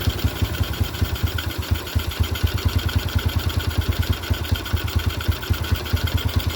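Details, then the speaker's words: 2006 Yamaha Jupiter Z Blue after swapping the original carburetor for a new one on the stock manifold, air screw set 3.5 turns, standard needle, with filter: quick even putters, clean idle and throttle blips with no hesitation; normal running. "Oke ya teman-teman, langsamnya juga oke, mantap. Bila posisi kita pakai filter juga oke ya, geberan gas tidak ada permasalahan."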